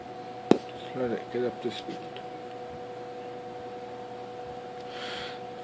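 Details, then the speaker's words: 1958 General Electric twin window/box fan, restored from trash, single long bearing motor, after startup: steady thin whistle above a soft hum; normal resonating motor winding whistle typical of these GE fans. "whistling noises del winding sound these General Electric boxing's of the unit bailing modos have the winding sound it's resonating from the winding"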